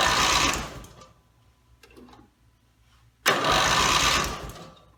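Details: Rebuilt Briggs & Stratton mower (carb rebuilt and filling, timing dots aligned, valves seated, compression unknown) gives two quick cranking bursts that never fire; gas later leaked from the muffler bottom, and the owner suspects it isn't getting fuel, cause unconfirmed.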